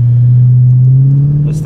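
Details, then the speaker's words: 2001 Mercedes W210 E55 AMG V8 driving after $6.99 injector O-rings fixed a months-long intermittent misfire caused by a backed-out bolt. Smooth, deep drone rising with speed, no miss, running clean. "what do you know fixed it immediately no more misfires"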